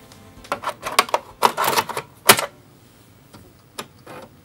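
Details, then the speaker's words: Amiga 500 floppy drive loading a Workbench disk after being taken apart and reassembled: bursts of rapid ticking head steps, then sparse single clicks; a distinctive sound, drive reading normally. "the A500 dist it just sounds different it has a unique sound the other ones don't sound like this"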